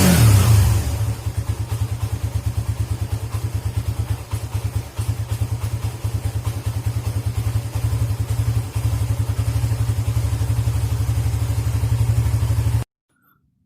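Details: Suzuki GSX motorcycle idling with a dirty idle speed control (ISC) valve, which stumbles or nearly stalls when the throttle is closed; cure is cleaning the ISC. Low, uneven thumping at about three beats a second that sags and stumbles as if about to stall.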